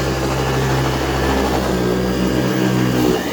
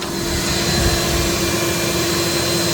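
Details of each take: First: AirVac AV3500 central vacuum, 23 years old, Power Mate-type power head: steady roar, tone drops about three seconds in then settles higher as the brush bar speeds up. Brush bar slow until warmed up. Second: AirVac AV3500 central vacuum unit, 23 years old, heard with the room door open, estimated 65-70 dB: steady, even motor roar with a faint constant whine, no rattles or surging. Normal running, quiet apart from a brief motor bearing noise at start.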